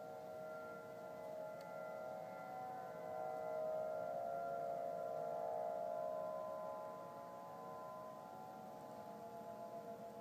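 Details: Faint steady wail holding several pitches about ten seconds, swelling and fading, Denver CO, early November 2012; heard same time and weekday a month before, ends "powering off"; owner assumes man-made, perhaps distant siren.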